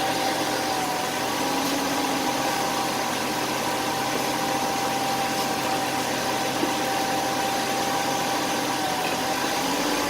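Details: BMW 528 automatic at idle: steady hum broken by sharp metallic clicks only when shifting into R or D; cause unknown.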